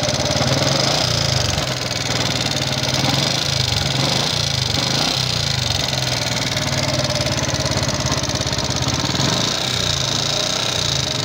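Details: Yamaha Jupiter MX King fuel-injected small single idling with dry, rapid, uneven metallic ticking clatter and thin smoke; owner suspects significant wear in piston, rings, valve seals, valve guides or other combustion-chamber parts, before teardown.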